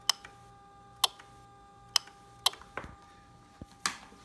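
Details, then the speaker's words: Ducati 1299 Panigale with an added headlight relay that keeps the low beam on with the high beam. The relay gives crisp, sharp clicks about once a second as it switches normally. "I'm going and show you from the front if you can see it you can see it's leaving on the low beam there and that's just another relay you can hear it"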